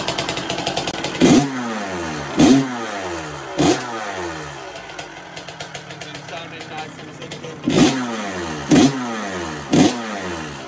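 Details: 1984 Honda CR125 two-stroke motocross bike with good compression, started on one kick: crisp, zingy revving that rises and falls with throttle blips about once a second; it runs clean and healthy and selects all its gears.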